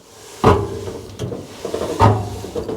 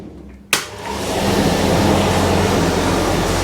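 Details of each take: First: Heavily used Indesit IDV75 tumble dryer from a communal laundry, drum turned by hand: a hollow knock every revolution from a failed rear drum bearing. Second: Indesit IDV75 tumble dryer test-run with cover off, after replacing the failed rear drum bearing that caused banging and knocking: a steady, even hum with a soft rotation rhythm about four a second, no knocking or scraping.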